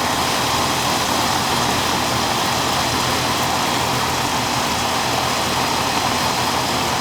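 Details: Old Amana R22 AC condenser, seasonal check on a warm day around 70–72°F: pressures good, no leak, coil clean; smooth, even fan rush with a steady hum underneath, no knocks or rattles; running normally.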